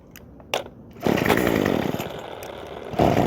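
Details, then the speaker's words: Craftsman WS2400 pole saw bought used, starts but runs poorly: pull start, then short raspy burst that sags and stumbles instead of holding revs; stale fuel and off carburetor mixture. "well that was a bit weird it didn't do this at the pawn shop so I'm going to try this again so you can see and hear what the pole saw does"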